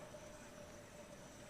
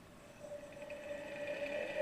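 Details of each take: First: Solectria AMC325 motor controller with a faulty encoder board whose signals never toggle, motor temperature sensor bypassed by resistor: steady faint whine near 600 Hz holding one pitch; motor spins but won't spool up, acting like it has no encoder signal. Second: Solectria AMC325 motor controller after repair of a missing-hardware bad ground, running a known-good motor and encoder in reverse: clean electric whine rising smoothly in pitch, no grinding or clicking, then regen to a stop; working normally.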